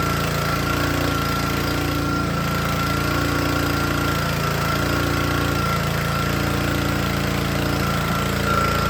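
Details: Troy-Bilt log splitter's small single-cylinder Honda engine, wet air filter removed, runs fine unloaded but labors and sags heavily once hydraulic load comes on, wanting to stall; engine bogging under load.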